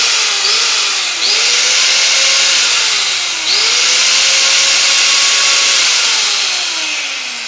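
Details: Makita M9511 850 W angle grinder from a marble shop, after bearing replacement and cleaning: clean, steady high whine at no load, pulsed twice, with no grinding, rattle or rough bearing noise.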